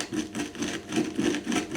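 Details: Worn, dirty strut top mount bearing from a BMW, co-driver's side (the worse one), chassis being refreshed; gritty rough rasp repeating about every quarter second as the bearing is turned by hand, copper paste apparently added earlier to quiet it.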